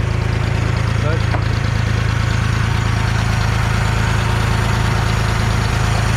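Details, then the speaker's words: 1974 Ford 3550 industrial tractor, sat 18 years, coolant system just hooked up and bleeding, idle deliberately set high to warm up: steady raised idle, even beat about three per second, no misses, knocks or smoke; normal fast idle. "right now it's just kicking out what it doesn't need sitting there running pretty good it doesn't smoke or nothing it just it just sits there and idles pretty good i know the aisle's a little high but that's okay i want a little high right now just so it warms up"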